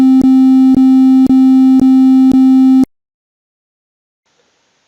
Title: Alarma de temperatura excesiva